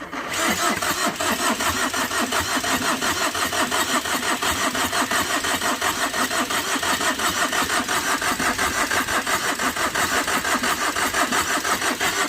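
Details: Overheated Tata Vista, radiator hose knocked off in an underside impact, cranked with battery connected: steady cranking about one and a half beats a second never fires; heavy gas and smoke escape, owner suspects blown gasket, failed engine.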